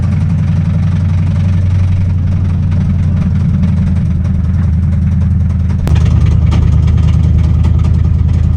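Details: Mustang V8 that spun its rod bearings mid-track-day at Sebring: deep, uneven rapping rod knock under a lumpy idle, louder as the engine picks up.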